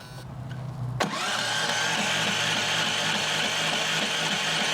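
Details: Duromax XP11000iH generator, electric/push start with the automatic choke closing: a click, then a steady starter whir that never catches, with no firing. Cranks but won't start because the ignition coil wire is disconnected.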